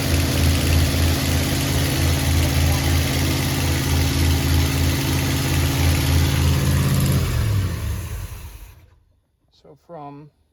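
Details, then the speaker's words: 1986 Chevy Hi-Cube van being revived, carburetor and vacuum lines being sorted: loud, lumpy low chuffing at idle about three pulses a second before shutoff; runs fairly healthy but suspected large exhaust hole, not confirmed. "It runs pretty good. Sounds pretty healthy. Sounds like it has a pretty big hole in th"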